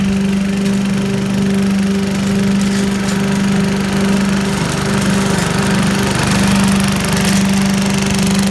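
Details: 1980s Billy Goat vacuum single-cylinder engine after fresh fuel: constant even buzz, no misses or surging; needed extra pulls to start, owner suspects low compression; runs like a champ once going.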